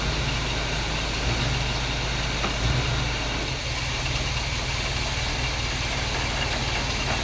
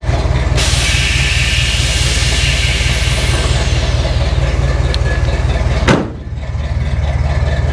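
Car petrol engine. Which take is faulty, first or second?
second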